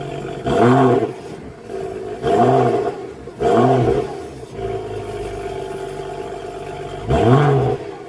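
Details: BMW E93 335i turbo whining when revving at 2,000–3,000 rpm: four quick rev blips from idle, each a rising-then-falling roar with a thin whine on top; suspected failing turbocharger.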